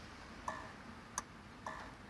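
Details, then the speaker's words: 1973 Rover P6 3.5 V8S with a temporary push-button start mock-up. With the original relay refitted the engine caught briefly, then failed again: sharp relay clicks about twice a second with no cranking. The relay is to be swapped. "Can you hear it clicking? So it's gone again."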